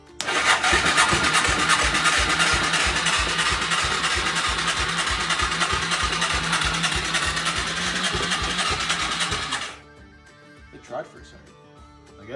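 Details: Moto 4 quad under restoration, fuel dropped in directly over the intake valve: fast, even cranking chuffs about three a second for ten seconds, never catching; soft light pulses, owner says compression too low after burning oil off the rings.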